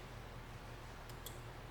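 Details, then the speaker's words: 1950 Willys Jeepster with a new universal wiring harness: grounding the horn-button wire makes the pre-installed horn relay give two crisp, quiet clicks about a sixth of a second apart, showing the relay is switching normally. "So, if I touch this to ground, I can hear the relay clicking."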